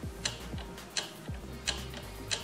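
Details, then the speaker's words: Tevo Tarantula Pro 3D printer during assembly, carriage moved by hand on the lead screw: sharp little clicks about every 0.7 seconds on upward travel; brass nut has play because no anti-backlash nut is fitted. "Pues en principio para abajo va bien y para arriba sí que le noto lo que le pasa a todas estas máquinas, que como no tenemos un anti-backlash, hay un poco de juego."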